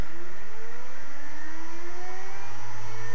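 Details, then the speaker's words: Western Digital hard drive with bad heads: a whine climbs as the platters spin up, then a low steady buzz sets in; hard drive head failure. "this is a Western Digital drive with bad heads you hear that oh my gosh oh oh I got to turn it off"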